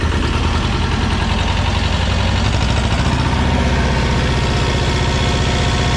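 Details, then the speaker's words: 1985 USSR-built Belarus 250AS diesel tractor, sat unused about 8–10 years, after fuel-system and injection-pump timing work: steady, even diesel clatter at idle with no misses or surging, fuel getting through; normal running. "Um this has been a a fun little day, fun little project. I'm glad to get it running."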